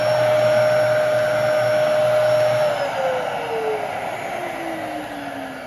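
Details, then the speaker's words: Dyson DC33 vacuum running upright: loud high steady whistle sagging in pitch with poor suction, caused by a clogged lower hose. "once you put it upright it's making that noise and this is not getting so much sucks"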